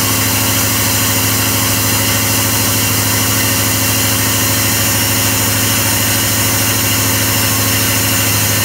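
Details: LT4 hot-cammed SBC Vortec 350 V8 with Ramjet intake and 0411 PCM, still being tuned, with an IACV problem and start-up cranking trouble with backfire: loud, lumpy idle rising and falling about 1.5 times a second; unstable idle, cause suspected.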